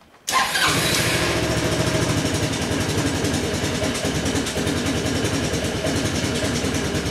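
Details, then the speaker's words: Honda Helix CN250 250cc scooter from salvage; catches after brief crank and runs ragged and uneven, rhythm wandering; rough running, probably from bad stale gas. "definitely might be having a problem that's probably the bad gas to be honest"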